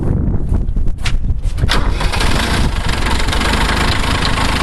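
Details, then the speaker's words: Kubota B5100D diesel tractor, cold after sitting outside about an hour, preheated then started: few seconds cranking, catches cleanly, steady even idle with no misses; healthy cold start. "i wanted whoever bought it to be able to see that even in cold weather this thing starts every time"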